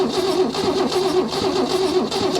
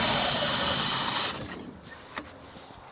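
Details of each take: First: Holden Commodore not run in over 15 years, cranking via remote start button wired to starter before checking spark: even, rhythmic cranking pulses, starter spinning freely with no drag or catch; turning over nicely. Normal cranking. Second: Holden Commodore not run in over 15 years, first start with a Holley carburettor fitted and float bowl filled: runs steadily, fades and dies over a second or two, then cranks and catches again; ran out of fuel. Stall from fuel starvation.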